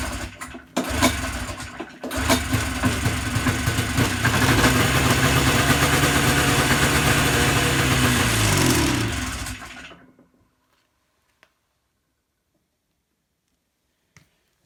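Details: Yamaha Enticer 300 two-stroke snowmobile, unknown year, 120 psi per side, reportedly ran last winter, first start after sitting using sprayed fuel. Catches after a pull, buzzes steadily several seconds, then dies. Engine runs briefly on sprayed fuel then dies.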